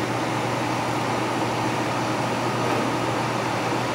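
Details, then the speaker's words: GFK-160 fireplace blower kit in an empty demo insert, started by torch-heating its thermal sensor, running on high before speed is turned down by knob: smooth constant rushing whoosh, no rubbing or rattle; normal blower operation. "if I want to adjust the speed of the blower I I just turn the knob counterclockwise or clockwise and you can see that the blower is slowing down you can hear it actually"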